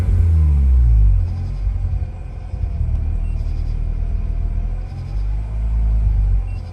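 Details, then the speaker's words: 2004 Mazda RX-8 rotary just started after sitting two years, idling unassisted slightly below 1000 rpm with codes for low charging voltage and P0171 system too lean bank 1: deep uneven rumble sagging and surging, nearly stalling; cause unconfirmed. "i'm not touching the gas pedal at all this is all on its own good thing i had the phone handy and i could just record this it wanted to die so he literally wants to die right"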